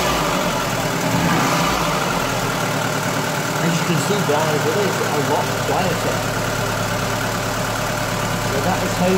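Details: Ford Fiesta 1.3 OHV petrol engine after valve clearance adjustment: steady, fairly even idle with no sharp ticking over the exhaust note; engine sounds healthy and settled.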